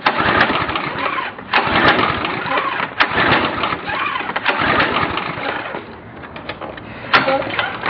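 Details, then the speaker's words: Briggs & Stratton Quantum 5.5 HP pressure washer engine, about 3 hours use, carburetor cleaned and new plug: repeated uneven pull-start bursts that die without catching; cranks but will not start. "and there you have it it will not start"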